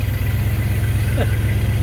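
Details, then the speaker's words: After rewiring the ignition so it sparks while cranking, the V8 starts and settles to a deep, even idle burble with a steady pulse, no ticking or puffing from the manifold, no leaks heard; normal idle. "ridiculous it even sits there in Idols first thing all right so just cut it off um everything seems to be okay I mean as far as it started up and ran and I didn't hear any leaks right off the bat which I like"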